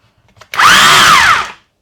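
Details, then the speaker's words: Makita DHR202 hammer drill, bought as spares or repairs (damaged trigger), first power test: motor whirs to a steady high whine about a second, spins down cleanly, no grinding or rattle; drill mode works. "All right. Well, drill seems to work."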